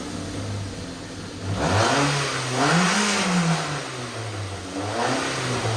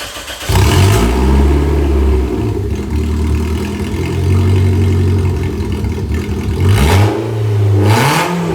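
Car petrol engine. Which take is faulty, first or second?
second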